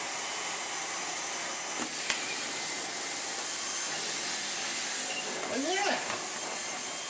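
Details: Miele S8 vacuum cleaner rebuilt from two units, with new filters and bag: motor spins up to steady high even rush with no rattle, grinding or pulsing; running healthy.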